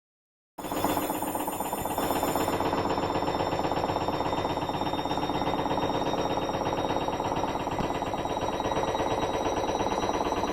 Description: Four month old Hoover washing machine, don't get fobbed-off if your machine sounds like this. There are many things that could cause knocking, but in this case it was the rubbish suspension.